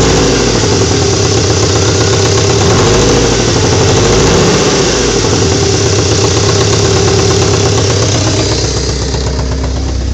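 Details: VTS engine with a loud, slightly uneven idle, occasional stumbles and a brief rev. Plugs and coilpack have been replaced and cam timing checked; compression is 225/232/240/230 psi. MAP and crank sensors are untested. Suspected misfire, cause not found.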